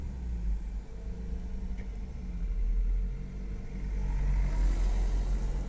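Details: Mk6 Golf 1.4 TSI 122 PS cold-starting after 6+ hours off: a lumpy, uneven low rumble at idle, first taken for a misfire. It is the normal catalyst fast-warm-up mode using the secondary air pump, and it runs fine afterwards.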